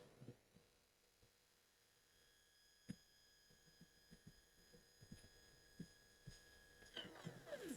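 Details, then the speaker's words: SMCU-4 integrated drive CNC controller driving a stepper motor on the Y-axis through a UC400: a faint, steady high-pitched whine holds evenly through the jog with light clicks; a healthy axis. "Motor coil fires. You hear it go silent."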